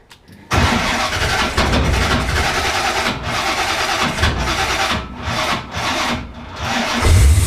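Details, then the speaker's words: 1968 Corvette 383 V8 with XL DFI distributor, older battery: starter turns over sluggishly for a few seconds before the engine catches and settles; slow cranking, owner recommends a bigger battery. "battery, it's an older battery. I would recommend a bigger battery. You can hear it takes a little bit to get this thing started."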